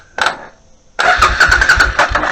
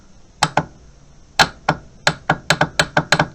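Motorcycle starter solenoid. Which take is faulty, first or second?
second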